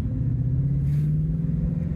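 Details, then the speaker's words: 2016 Ford Mustang 5.0 GT manual, stock except resonated Scorpion exhaust, light cruise: deep, even V8 drone climbing slightly with speed, with supercharger-like gearbox whine; healthy, normal exhaust note. "You can hear the 3 V8, which I absolutely love, which is true sounds"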